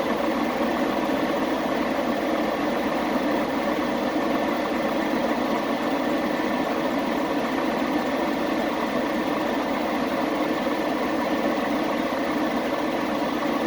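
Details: Chevy Express 3500 after fixing a misfire: steady, even idle with a smooth unbroken drone and no stumbles or skips; normal idle, engine running cleanly.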